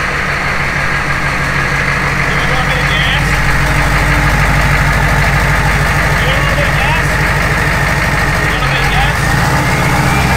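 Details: Humvee with later-generation 6.5L turbo diesel and 4L80E four-speed swap, first real start after priming fuel pump and filter and bleeding an injector line: steady even diesel clatter settling into smooth idle, no misses or knocks, running normally.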